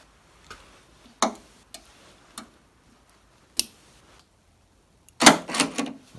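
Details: 2002–07 Jeep Liberty Renegade rear liftgate window latch after fitting new Mopar wiring jumper harness 5143017AA; a few sharp clicks and short mechanical clatter in a quiet room; latch now actuating properly after repair.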